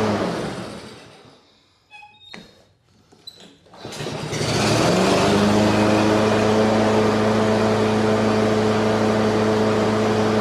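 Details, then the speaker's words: Husqvarna HU 600L mower, Kohler XT149, after repairs and reassembly: starts on one pull and settles straight into a steady, even hum with constant note, no stumbling; healthy, previously hard-starting and dying in seconds. "that's perfect that's how it should start that's how it should run now that's the good old mower that I'm used to working on"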